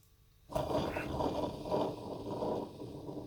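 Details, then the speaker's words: Ford XG ex-police van engine at about 900–1,000 RPM: rough, gritty grinding from a worn A/C compressor pulley bearing on an untested pump taken from a donor. "you can hear it really grounding like grinding like the I think they have bearings"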